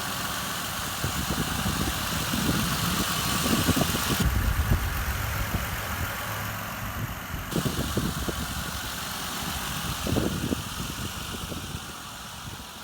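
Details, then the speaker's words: 2007 Mercury Mariner engine, 176,000 miles, from a rollover vehicle, outdoor test: steady even idle with smooth regular beat, no knocks or misses; engine runs well. "was involved in rollover but fired right up on its feet um and this engine does have some miles on it um 176,000 but as you can hear it runs runs well"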